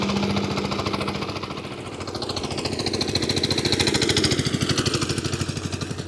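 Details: Small single-cylinder engine, replacement motor, electronic ignition, electric start, glass-bowl fuel filter, possibly 7 hp, warming up; even chug about three and a half beats a second, swelling and easing with throttle, no knock or misfire; normal.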